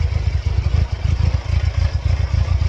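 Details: 1999 Mercedes-Benz C230 Kompressor (W202), check engine light flashing periodically: deep, uneven, lumpy, stumbling throb at idle with no steady rhythm; running rough, cause not yet pinned down.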